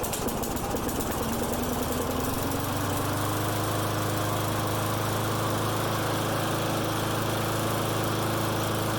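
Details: Friend's lawn mower that starts and dies, running with air filter on; hunts and settles at rough uneven speed with loose thrumming beat, runs better but a remaining vacuum/air leak is suspected.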